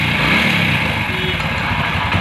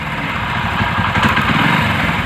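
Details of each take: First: Old single-cylinder motorcycle that had suddenly cut out, after repair: revs smoothly with no ticking or misfire; normal revving. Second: Motorcycle that starts at idle but dies when revved; carburetor cleaning did not help: sharp, irregular ticks break through at higher revs from a cracked ignition coil leaking spark; misfire.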